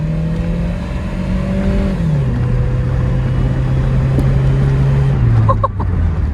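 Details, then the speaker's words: Car driven down the road after the extreme oil overfill (10 extra quarts) was drained: steady, smooth engine drone easing down as it slows, no knock or miss; runs normally again. "I just drove it down the road here and it's running normal again. And this is the craziest thing about this car, is it runs perfectly still."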